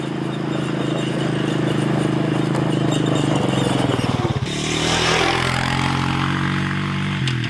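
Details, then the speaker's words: 2000 Honda TRX350TE Rancher ATV after carburetor replacement (old rebuilt carb sputtered and overflowed fuel): single cylinder thumps evenly at idle, picks up cleanly on throttle with no sputter or misfire; normal running. "all right it's all back together let's test it out look at that sounds great"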